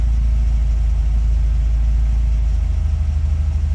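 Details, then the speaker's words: Honda (blue Integra) after transmission install and fixing the flywheel: smooth even low idle, steady rumble, no longer bouncing or knocking as before; check engine light, possibly from unplugged O2 sensor. "At least obviously the flywheel was an issue because before it was bouncing around, sounded like it was knocking. Not anymore, so that's definitely a plus."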